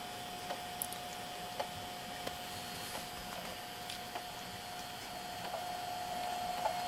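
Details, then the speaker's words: JVC VHS-C camcorder after refitting a slipped take-up belt that made it eat tapes: faint, uneven clicks, one or two a second, over a steady high tone during tape playback; owner hopes the clicking goes away eventually. "You can hear that clicking in the playback, so I'm really hoping that goes away completely."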